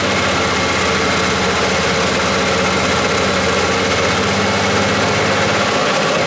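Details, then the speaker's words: R33 Skyline at first start-up after an engine swap; a steady idle with a fast, light metallic rattle on top, and the owner hopes the head is not yet fully bled and the VTC gear still needs oil, unconfirmed. "hope that a quiet sound goes away you know the the head just isn't fully bled hopefully and the vtc gets oil through the head so fingers crossed"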